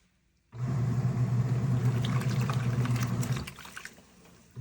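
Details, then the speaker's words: Krib Bling full-automatic washing machine filling at the 7-liter water level setting (8 L maximum): steady low hum under rushing, pouring water, even until it tapers off; normal fill. "Okay, add the water. I can pause anytime. It's very easy, and I can adjust the water level."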